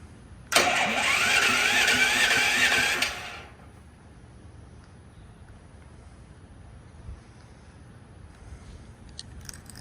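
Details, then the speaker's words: Duromax XP13000HXT generator on first connection to natural gas; slow labouring starter turns engine about three seconds at roughly 2.5 beats a second then quits without firing; battery believed dead, pull cord also failed; slow cranking. "uhoh all right so the battery must be dead so I'm going to try to crank it by hand"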